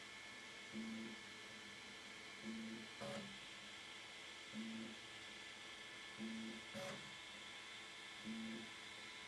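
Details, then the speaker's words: Elegoo Centauri Carbon 3D printer, new, initial setup, door open: roughly 6x6 or 7x7 automatic bed leveling, probably the slowest setup step, short low motor buzz about every 1.5 seconds with occasional sharper tap; normal leveling pass. "Uh this part takes a long time to uh bed level. If it's going to go through from front to back, this is what takes uh the probably the most time in the setup process."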